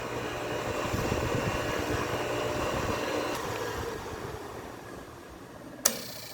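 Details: Vitalex blender after its motor tie-rods were tightened to centre the armature in the stator: steady motor whir fades smoothly as it coasts down after switch-off. A sharp click near the end is the centrifugal start switch dropping back, a normal shutdown.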